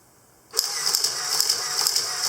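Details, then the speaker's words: Olympus OM10 FC with power winder in sequence mode, auto mode: crisp whirring shutter-and-advance cycles repeat evenly at about two and a half frames a second, so the winder works normally. "that's your wonderful sound two and a half frames per second"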